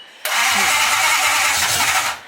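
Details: Nissan 240SX S14 with a swapped Toyota 1UZ V8, not yet started after the swap, starter wiring retaped: a couple of seconds of steady cranking with no firing at all.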